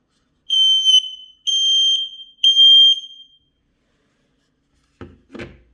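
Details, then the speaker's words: X-Sense XS03 mini smoke alarm (sealed 10-year battery, ceiling mount): after twisting the back cover on to activate, the test button is pressed three times, giving three loud shrill beeps about a second apart, showing the alarm is live and working normally. "press the test button three times you'll hear beeping sounds that means the smoke alarm is now live"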